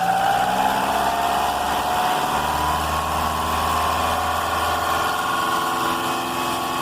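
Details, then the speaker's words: Car with a suspected crankshaft-pulley belt noise: when the engine is started and revved gently, the noise stops, leaving a steady, even hum with no squeal. Normal idle, no internal engine problem; the belt is suspected and a new Continental 6PK 870 is to be fitted. "então pessoal vocês viu aí que o barulho parou então uma coisa tá livre o motor não tem problema dentro do motor"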